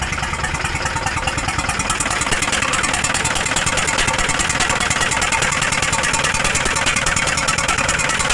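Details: Hino 300 with W04D diesel, misfiring with white smoke: loud idle with a rough pulsing chuff about three times a second and a hollow intake drone.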